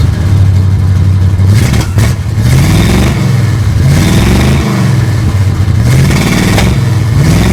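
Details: 1955 Chevrolet two-door station wagon V8 with a newly installed custom exhaust built from mixed parts, dumping before the rear axle: deep burble revving up and settling back repeatedly, even firing with no knocks or misses; engine and new exhaust sound healthy.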